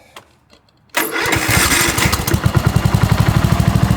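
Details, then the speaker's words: 2006 Cub Cadet LT1045 riding mower single-cylinder engine, after fixing a leaking carburetor bowl seal and slightly adjusting the governor for a high-idle fault: catches after a short crank and settles into a steady, even idle; runs properly. "And after that, I ended up uh adjusting this governor just a hair. And now it's actually pretty good."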